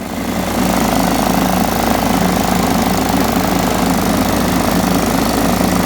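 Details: John Deere STX 38 riding mower, revived with a new battery: steady, even single-cylinder thrum holding speed under mowing load, no misses or knocks; normal running.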